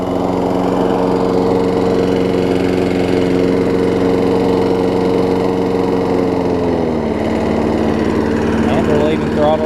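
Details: Craftsman 6 hp big-wheel front-drive self-propelled mower after replacing a carbon-fouled spark plug: a steady, even drone with a pitch drop near the end as it settles; it runs smoothly without stumbling or misfire.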